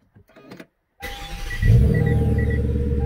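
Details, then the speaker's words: 2009 Hyundai Genesis sedan, 4.6 V8, after replacing the faulty starter: quick clean crank catching at once into a firm, steady idle; normal starter crank and start. "And there we go. Gotta love the sound of that exhaust."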